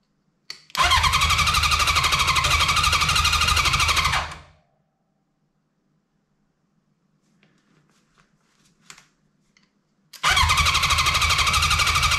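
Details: 1983 Honda CB750 stored about 10 years, tank removed and external fuel source fitted, first start attempt: starter spins engine at steady rhythm, stops, tries again, never fires; crank no start, spark present.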